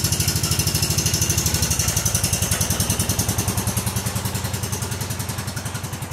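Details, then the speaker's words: Kohler Command CH16S engine in a Cub Cadet 2166, first cold start after reinstall and reseal/electrical/starter refresh: even steady thumping idle, no knocks or misses; runs good, about to warm up. "all right it runs good let's take it outside and let it warm"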